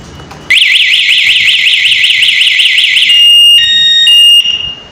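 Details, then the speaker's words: Hero HF Deluxe BS6 i3s bike with newly fitted remote anti-theft alarm, armed and the bike shaken: loud warbling siren sweeps up and down, then steady piercing tones; alarm working as intended. "आपने देखा मैंने एक बार और गाड़ी को हिला दिया था तो फिर कितनी ये आवाज करने लगी थी।"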